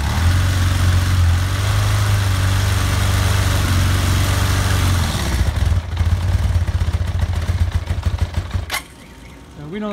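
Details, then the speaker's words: 1982 Honda CB750 four-cylinder after sitting, carbs flushed and filled with fresh fuel by syringe: catches and runs with an uneven lumpy idle, quick blip and shutoff; rough running, needs running and cleaning out. "it's firing up you know it's a little rough it needs to be run and cleaned out but I do want to show you that this thing fires up"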